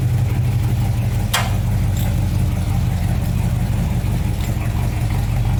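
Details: 1966 Ford Fairlane GTA after fitting a new starter, replacing the wrong one that hit the new flywheel: steady, even low rumble with no knocks or grinding from the starter area; engine idles smoothly, normal.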